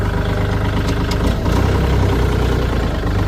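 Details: Deep, even diesel chug with no knocks or misses from a used Kubota L4018 4WD tractor, model year 61 (Thai calendar), with a front blade; it starts easily and idles healthy.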